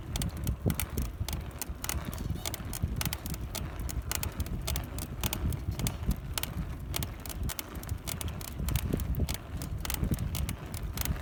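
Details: Cannondale FSI bike with BB30 bottom bracket, while pedaling: sharp, irregular creaks and clicks, several per second; creak somewhere in the drivetrain, source unconfirmed.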